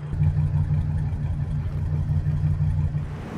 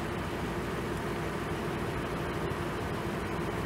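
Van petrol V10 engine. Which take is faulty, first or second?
first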